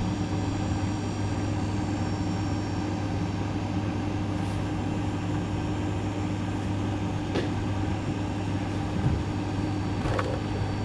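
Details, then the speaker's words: GE refrigerator that clicked and wasn't cooling, after fitting part WR07X10131 in place of discontinued WR08X10089: steady low hum with no clicking or cycling; compressor starts and keeps running smoothly. "by golly it's working well that was that it's how you fix the clicking noise from the bottom of the refrigerator"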